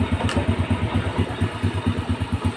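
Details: Honda Grand motorcycle after repairing a broken ignition-switch wire that killed starter and panel lights: even thumping idle at about five beats a second, steady with no misses; runs healthy.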